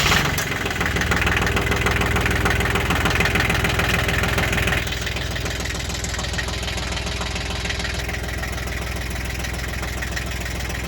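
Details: 1988 Ford 1120 diesel tractor, warm day, started after the glow plugs; the no-start had been a kicked PTO lever. Quick start, then a steady, even diesel clatter into a smooth idle with no misses.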